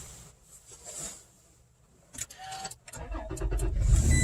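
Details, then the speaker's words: 2016 Toyota Tacoma push-button start after replacing the dead key fob batteries, fob in its usual spot, foot on brake: a few cabin clicks, then it cranks and catches promptly into a steady idle; normal start. "Okay, all of a sudden the truck is 100% perfect."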